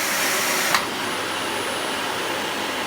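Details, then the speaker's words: Dyson DC40 upright vacuum after hose repair, tilted backwards: an even suction rush shifts abruptly, then settles with a thin high whistle as the airflow switches from the top intake; normal changeover. "I leaned it backwards yeah so the air comes in through the top here until you lean it backwards"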